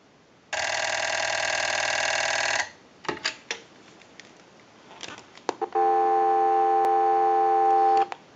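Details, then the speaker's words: TP6A military rotary desk telephone during a ring cycle sent from an analyzer: two bursts of about 2 s of fast, even mechanical buzzing from the ringer solenoids, not the bells. Normal ringer operation. "now that we know that this telephone is ringing in on a ring cycle and you hear the mechanical noise from the Silla nodes and actually not the bells at all"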